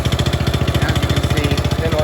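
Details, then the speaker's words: Manco Fox Conquest go-kart single after carb work, warming at idle, still leaking gas, oil change due: steady, even putt-putt at about fourteen beats a second, no misses or knocks; motor runs well, idles smoothly. "well the motor runs pretty good it is leaking gas"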